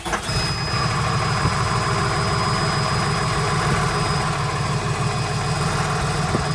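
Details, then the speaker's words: Step van (MT 35/45/55) with Cummins diesel and Allison transmission during PM service, first start after new fuel filter installed without priming: catches quickly into steady even diesel clatter, no surging; normal start and idle. "notice how the motor didn't surge or go crazy on the first fire up it's because i put the fuel filter on"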